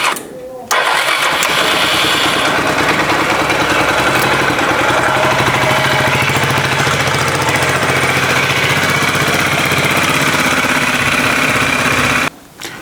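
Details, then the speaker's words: Older Suzuki Skywave/Burgman 400 single-cylinder four-stroke CVT scooter, variator removed, badly worn belt, jump-started on a half-dead battery: catches after a short crank, runs loud and uneven about eleven seconds, then cuts off; collapsed muffler; rough running. "Sa batterie est à moitié morte, j'ai dû l'allumer. Et malheureusement, le moteur ne fonctionne pas parfaitement."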